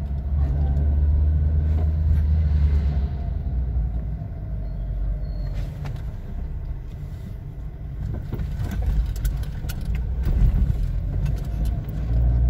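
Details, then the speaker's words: VW Gol-family car: irritating, strong uneven rattling knocks over road rumble at every small bump or unevenness; suspected tie-rod end, stabilizer link or axial rod, needs checking. "ó olha que barulho irritante e as pancadinha é forte então isso aí pode ser terminal de direção Pode ser bieleta né tem que verificar pode ser a barra axial da direção"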